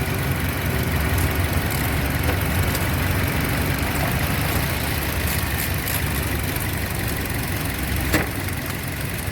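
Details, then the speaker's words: 2007 Toyota Yaris at idle with AC on after an ignition coil fault causing hunting and misfire was fixed: engine idles smoothly and steadily, no misses or hunting. "मैं अभी कोई problem नहीं है problem निकला था यही कोयल problem था ठीक है छोटा सा काम था इसमें"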